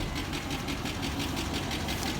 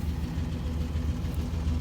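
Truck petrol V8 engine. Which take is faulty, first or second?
first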